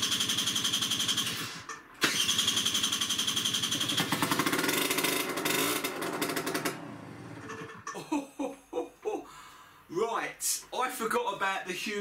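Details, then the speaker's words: Peugeot Speedfight 2 50cc two-stroke scooter, started on easy start spray: loud, raspy crackle when revved, much harsher than stock, from a hole purposely drilled in the exhaust pipe; exhaust leak. "hole in the bloody exhaust let me show you i'll have to cover that up somehow so there we have the exhaust and what the hell is that please tell me you weren't riding this with that hole in the exhaust"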